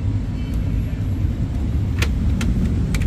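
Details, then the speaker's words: Ford Ranger diesel after repair of shaking engine (one faulty injector and a set of injector tips): low, even idle rumble with no stumble or shake, a few light ticks on top; engine idles smoothly. "าวนี้ทีมงานสตาร์ทเครื่องไปแล้วนะเครื่องยนต์เดินนิ่งนะครับ"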